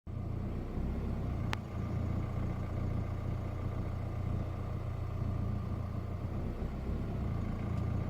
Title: 16 Colorado Duramax Surging Rough Idle